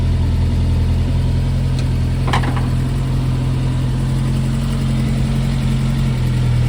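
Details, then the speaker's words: Brubaker Box newly installed air-cooled engine, after first start, all gears selectable: steady low even thrum with a brief rev, no knocks or rattles; engine sounds healthy. Healthy running and revving. "but that is nice progress lead the brakes I guess is next but that engine sounds healthy"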